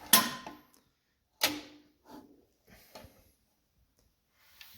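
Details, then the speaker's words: John Deere LA engine turned slowly by hand while timing the magneto: isolated sharp clicks as the magneto impulse trips right when the SPARK mark shows, confirming correct timing. "And you want to hear that Magneto click right when it says spark. And that's how you know you got it timed right."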